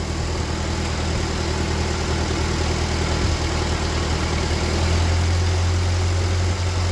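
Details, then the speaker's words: Free old Ford tractor rained on for years, first start after sitting: low, steady idle with a slight lift in revs partway, even firing and no knocks, water dripping from the exhaust; idles normally. "we get an idol out of it maybe kind of all right I knew she wanted to live I think she's gonna be a runner"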